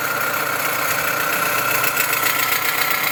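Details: Dodge Avenger/Journey/Chrysler 200 engine at idle: steady high-pitched whine with a fine rattle, loudest at the back of the alternator. Vibration is felt at the alternator, not the A/C compressor, so the alternator is the noisy part.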